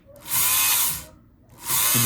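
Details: Kenmore 158.523 sewing machine: two short bursts of smooth high motor whir with no mechanism clatter, motor spins but machine not driven; motor sparking excessively, commutator and brushes suspected worn.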